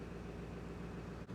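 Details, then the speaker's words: International 3800 school bus, T444E diesel, cold start at 0 °C in January in Alberta after sitting parked; one glow plug cycle, plenty of oil pressure: low, steady diesel idle with even rumble, no knocks or misses. "seems like the bus has started no problem in zero degrees Celsius temperature one cycle of the glow plugs and we were good to go plenty of oil pressure"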